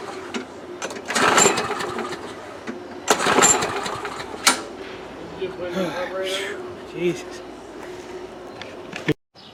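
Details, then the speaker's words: 2005 Murray Quantum 6.5 mower engine with new carburetor and primer bulb: surges and sags unevenly about every two seconds, never settling; fuel not reaching carb, suspected plugged primer backing plate holes; the plate was later found to be the problem and fixed. "i think it's the uh that holes plug there's no way it's gonna let fuel you know get from the tank to the ball and then in the car"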